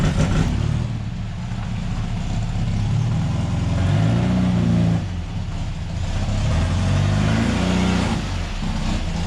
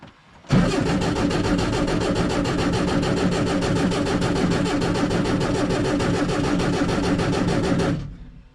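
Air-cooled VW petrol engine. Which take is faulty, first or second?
second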